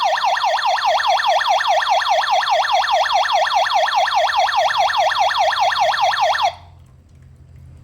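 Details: Kerui GD13 combustible LPG gas detector tested with gas: loud rapid rising-falling electronic whoop, about two sweeps a second, running steadily then stopping abruptly; detector in alarm.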